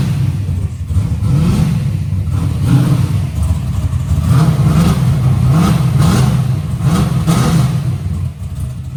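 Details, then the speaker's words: Big-block Chevy, warm with coolant flowing, during carburetor intermediate-circuit tuning: V8 revved repeatedly, each rise stumbles briefly at the transition; hesitation blamed on running too rich, owner plans to lean it by removing some jet. "Little hesitation right there. It go so rich. It's a little hesitation cuz it go so rich."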